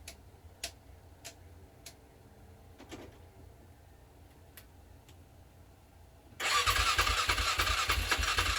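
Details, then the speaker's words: 2007 Polaris Scrambler sat 4+ years, in neutral, ether sprayed into air filter box: quiet cranking clicks then a sudden rough burst as it fires on starter fluid, then dies, pointing to fuel supply. "And if you heard that, that was the first time it even sputtered in over 4 years."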